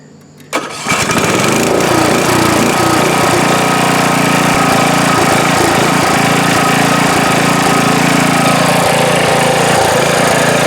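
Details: Briggs & Stratton Intek small engine just after a head gasket replacement, valve adjustment and oil change. It catches after a quick crank and settles straight into a steady, even run with no stumble or misfire: normal running after repair.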